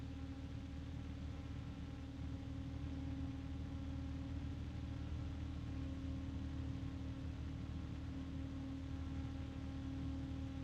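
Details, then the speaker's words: Noctua fan compared with Corsair ML120: steady airy whoosh with a thin constant tone above, no rattles; Corsair louder overall but Noctua's pitch cuts through; normal fan running with tonal whine. "I would say overall that the Corsair is louder, but there is a pitch from the Noctua that cuts through that noise, at least for me."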